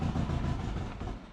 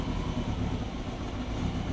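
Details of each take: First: Turbo Subaru Forester with Haltech Elite 550 ECU, before fitting 980cc injectors: fuel pump fuse pulled while idling to empty the rails; low idle rumble sags and dies within about a second as fuel pressure drops, a stall from fuel starvation. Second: Turbo Subaru Forester on Haltech Elite 550 with new 980cc injectors and new O2 sensor, idle control just enabled, not yet up to temperature, lower radiator hose leaking; steady, even low rumble with no misses, surging or knocking: normal idle.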